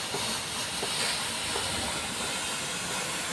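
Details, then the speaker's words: Mini gas-operated fogging machine running with the gas turned fully on and the pump pressed: a steady, even rushing hiss with no stutter or popping as light fog discharges; turning up the gas gives more fog. Normal fogging operation. "ఇలా fog అంతా బయటకు వస్తుంది. మీకు fog ఇది లైట్గా కొంచెం వస్తుంది కదా."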